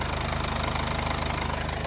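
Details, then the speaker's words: Mercedes diesel after injectors replaced for fault P008791 (fuel pressure too low): starts at once and settles into an even idle with a regular beat, no misfire or stumble; fixed and running as it should. "and as you can see, it turns on straight away."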